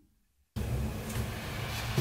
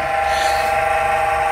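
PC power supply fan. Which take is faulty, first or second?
second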